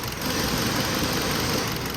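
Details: 2015 Kia Cerato at idle with constant shaking: uneven idle with a faint stumbling beat; scan tool shows misfire on cylinder 4, spark plug looked fine, traced to a faulty injector stuck open.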